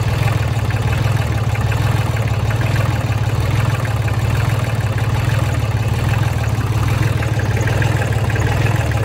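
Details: 2003 New Holland TC29D diesel tractor, sat about three years, new battery, injector lines cracked to bleed: steady low diesel idle with an even beat and no misses or surging. Runs cleanly.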